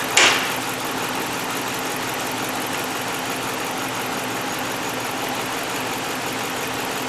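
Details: 2010 Dodge Ram 2500 5.7 Hemi V8 with rodent-damaged wiring repaired, idling lumpy and uneven as number seven cylinder misfires; coil swap didn't fix it, scope shows no current on its coil primary despite power, so no spark.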